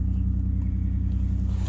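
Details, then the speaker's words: 2005 Nissan Murano, towed in with dash lights on and stalling after starting, now running after reassembly: steady, even low idle hum with a smooth regular pulse, no stumble or hunting. Normal idle. "let's see if this thing will run all right starting the engine voila it runs okay now"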